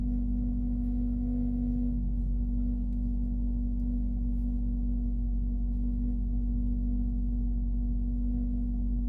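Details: Suzuki Ritz automatic on cold start: steady metallic, ringing grinding drone over the low idle rumble.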